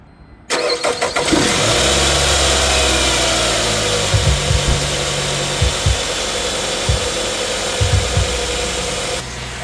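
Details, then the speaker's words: 2002-06 Nissan Altima 2.5L after replacing a worn, noisy serpentine drive belt: cranks, catches quickly and settles into a steady, even idle with no squeal or chirp; belt noise fixed. "you see, no more noise. No more noise."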